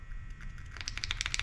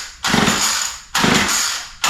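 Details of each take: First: Murray M2510 line trimmer that will not start, carburetor metering chamber opened: a dry, papery crackle as the metering diaphragm flexes. Fuel has made the diaphragm hard when it should be soft. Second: Murray straight-shaft line trimmer, previously would not start, restarted on full choke after priming; catches after a few pulls and holds a steady high buzz; high-speed mixture needle opened slightly as it seemed a little lean and slow to warm up; runs well.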